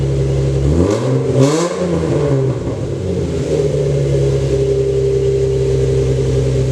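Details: Lexus SC300 after replacing a fuel injector whose seal was leaking fuel, with timing confirmed at 10. An earlier suspected misfire was thought to be from the spark plugs. Revs blip smoothly and drop back to an even, steady idle with no stumble; running healthy.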